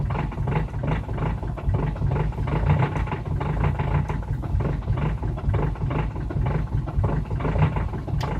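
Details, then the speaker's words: Diesel car cold start below -30°C: the engine chugs unevenly at idle with a lumpy beat, misfiring as if some cylinders aren't firing, and struggles until it stalls. "Что-то как-то она троит и пытается глохнуть. Заглохло."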